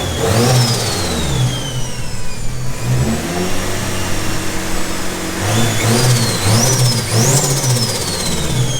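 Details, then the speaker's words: Nissan 180SX with SR20 engine after cheap power upgrade, new turbo, 1000cc injectors and fuel rail, E85 at 40 psi base pressure, first start, untuned: clean sharp free revs from steady idle with turbo spooling and whistling; runs smoothly. "it's running really smoothly so obviously it needs to go off and get tuned now but it's running pretty nicely sounds good"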